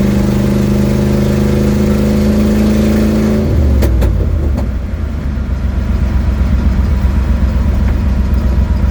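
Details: 1972 Ford Mustang driving home, phone mounted in the dash, leak not yet fixed: steady engine drone drops as revs fall, leaving a raspy, blatty low rumble under load. Exhaust leak.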